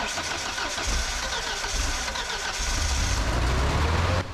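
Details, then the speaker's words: Ford LRG-425 engine on a JLG 80HX boom lift, cold start with good compression and fixed spark: it catches, stumbles back to cranking, catches again repeatedly; automatic choke suspected of opening too early, hard cold start. "did you hear it crank it it catches and then it cranks and then it catches and then it cranks and then it catches and then it cranks"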